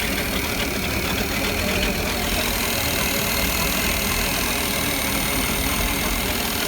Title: Mercruiser 350 clicking noise low WOT